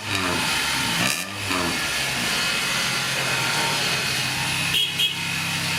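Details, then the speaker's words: 1994 vehicle just after the rest of the exhaust (welded cat-back section) was fitted: engine starts and revs up and down smoothly with an even, muffled tone, no rasp or leak; quiet, healthy exhaust. "I didn't even hear it sound. Alright. That's quiet. Sounds good."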